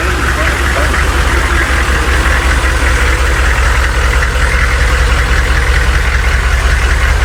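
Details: Humvee diesel after tightening both bolts on a moving part to cure an earlier noise: steady, even clatter with firm low thrum, no loose rattle; drivetrain tight, noise not returned.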